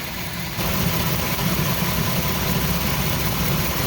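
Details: 2003 Chrysler Town & Country 3.8 V6 at idle: low, uneven, stumbling beat with one cylinder dropping out; P0300 and P0204 cylinder 4 misfire.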